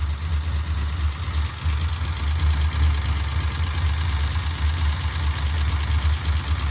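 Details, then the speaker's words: 1968 Dodge Charger 440 V8: a deep idle with quick, evenly distributed ticking chatter that appeared near the end of break-in. The valve lash was found far too loose. "Dude, it's not even tight. Oh jeez. It's about as loose as a goose."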